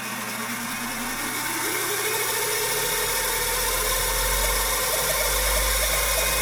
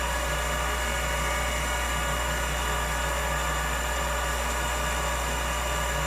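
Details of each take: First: Old Finch hard drive for a Centurion minicomputer, reassembled after spindle turned freely by hand, spun up again: harsh gravelly grinding rising in pitch, even worse in person; owner suspects the motor or possibly a head crash, unconfirmed. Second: Old Finch hard drive for a Centurion minicomputer, heads unlocked and spun up while owner fears a head crash: steady even whir with low hum, no scraping, screeching or ticking; heads flew, drive sounds normal.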